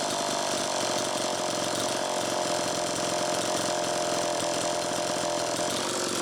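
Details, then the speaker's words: Homelite Super EZ two-stroke chainsaw after crank seal replacement, slightly flooded, idle speed screw far out: screams at a high steady rev that won't drop to idle; air leak at the intake manifold bolts. "first take a listen to how it's running it's pretty close but one key that something's still not quite right"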